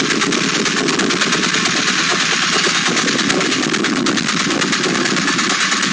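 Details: Late-model Porsche 996 911 Carrera 4, noise present about two months and 2,000 km; it stops when lifting off the throttle while driving, so owner suspected the fuel pump. Fast, sharp, loud irregular metallic clatter over the engine; internal engine knock, engine replaced.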